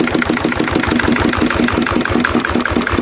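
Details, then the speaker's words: Lister CS Startomatic diesel: steady fairly quick knocking beat with sharp clatter on each firing, running while the relay is held; throttle stop solenoid won't hold the throttle, so letting go of the relay drops the throttle and it shuts down. "There's the throttle. As soon as you let go of that relay, that's shut down."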